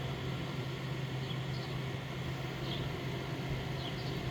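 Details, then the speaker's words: 1998 Whirlpool 10,000 BTU window air conditioner, compressor kicking in on high fan, drawing 8 amps at startup and 9.44 amps running: the start is barely audible, followed by a steady, even low hum with no knocks or rattles. The compressor runs healthy. "So you didn't really hear it start up"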